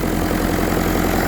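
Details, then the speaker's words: Willys Jeep with Kubota V2203 diesel swap, idling at about 1100–1200 rpm: steady, even clatter with no misses or shaking. Normal idle. "so the highest I was 12.99 see how smooth everything is this isn't doing anything"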